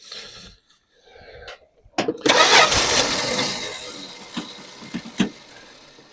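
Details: 1974 Dodge Dart Swinger, sat unused a while, fuel being drawn up from the tank: long starter cranking with clatter and pauses before it finally catches and runs; owner suspects sticking starter Bendix or a missing flywheel tooth, unconfirmed. Extended cranking before start.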